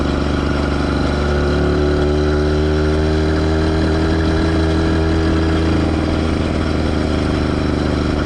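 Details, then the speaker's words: Schwinn Stingray with a 2-stroke motorized bike kit, riding under load: steady two-stroke buzz with a pronounced scraping rub; the chain rubs the rear tire only under load, not the half link first suspected. "biggest issue that needs to be addressed right away obviously the chain rubbing on the rear tire which you can hear in the video it's quite pronounced"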